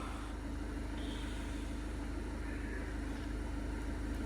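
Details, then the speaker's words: Seat Leon 1.6 TDI diesel after timing belt job and injector replacement: steady, even idle with smooth low rumble, no shaking; injector correction value improved from +180 to negative. "okay no shaking noise looking good looking good"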